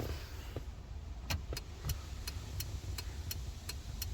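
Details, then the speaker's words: Citroen, newly fitted mechanical flasher unit replacing original that flashed too fast with no click: crisp, even clicks about two per second over quiet idle; turn signal flasher at correct steady rate. "So that's really cool. So that's perfect speed and it's got that nice clicking sound."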